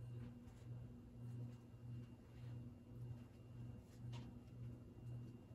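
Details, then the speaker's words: 52-inch AirCool GE Vent ceiling fan, all original parts, on medium speed: low steady hum with gentle slow pulsing whoosh, no ticking or scraping; motor runs quiet, slight humming, buzzing suspected from a light bulb rather than the motor. "but it is pretty quiet very slight humming and i think the buzzing part sound might be one of the light bulbs because the buzzing sound is obviously not the motor but the humming is there you have it for mediums"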